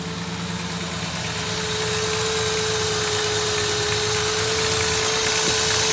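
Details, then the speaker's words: 1999 4.0 V6 petrol, heads and valves redone at 130k, rough idle since: fast ticking about four a second up front, knock heard more at the back; owner suspects lifters or valves; runs fine under load, no codes. "all right here we go so uh it's you can hear this ticking noise up in the front you can kind of hear the knocking sound but you can definitely hear that knocking sound in the back"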